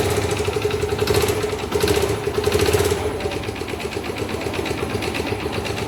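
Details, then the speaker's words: 2013 Factor 125 single, low mileage, run overdue on its oil change until the oil dropped: uneven idle with a light, rapid metallic tapping over the exhaust. Piston damage from oil starvation is suspected, not yet confirmed by opening the engine. "Por falta de óleo, deve ter. É bem provável que seja pistão, né?"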